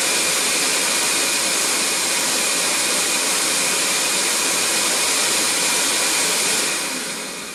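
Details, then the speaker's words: Record Power CamVac CGV286 dust extractor, both motors running without baffles, meter at the machine reading 85 dB; loud steady air rush with thin high whistle, no pitch change; normal running. "okay just took a level meeting reading at the machine itself and it went up to 85 so getting quite noisy and if that was running all the time it certainly would start making your ears ring"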